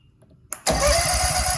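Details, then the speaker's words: Husqvarna commercial zero-turn mower stored unused four years, with starting fluid sprayed in: click then starter spins engine in fast even chugging rhythm, nearly coughing but never firing; cranks but won't start, starter engaging fine. "the starter at least the starter is engaging good so that's nice it's not grinding or or anything like that"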